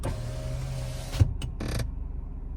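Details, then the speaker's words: Lada Vesta SW Cross passenger power window: motor hums about a second, then the glass seats with a thump and squeaks when closing fully; forums suggest disassembling and greasing the guide rails. "Смотрите, пассажирское стекло опускаю и при подъёме его издаёт вот такой вот звук."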